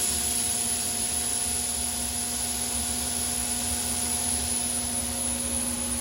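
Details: Overhauled GE unit with upgraded EZ Lube oil system: steady, even hiss and hum with fixed tones, no knocks or surging; lube pumps running smoothly.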